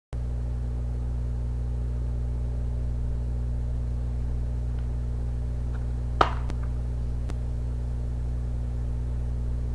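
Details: Xbox playing a Fellowship of the Ring disc that is in good shape apart from minor superficial scratches: a steady low motor hum with a few faint ticks as the drive reads endlessly and never starts the game; cause unconfirmed.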